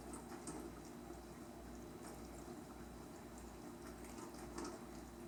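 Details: KitchenAid windowed dishwasher KDTM384ESS (44 dB rating), normal wash cycle: soft steady spray against the tub walls with a low pump hum; a tad louder with fewer dishes but still whisper quiet.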